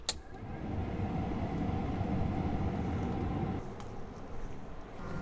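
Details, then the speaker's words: 1983 Mercedes 300TD W123 wagon with a non-working heater, ignition on and engine off, relying on residual coolant heat: a faint, steady low hum with no rattle or grinding as the circulation pump runs normally, yet no heat reaches the cabin. "that is audibly running i sure would like to see that getting hot"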